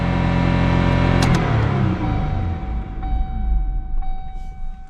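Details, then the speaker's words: 2005 Kia Sportage that lost brakes descending a steep pass, check engine light on: engine roars at about 5,000 rpm with no throttle pressed, then winds down unevenly; runaway high idle, cause unknown. "Now my foot's not touching the gas. That's 5,000 RPM. It's just sitting there now."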